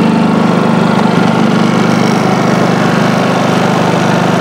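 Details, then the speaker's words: New Westinghouse iGen4500 inverter generator running at no load (0 kW output, 124 V, 6.5 L fuel, efficiency mode off): steady, even drone with a smooth regular beat and no misses or hunting; normal running. "So your power kilowatt is zero. We're not powering anything."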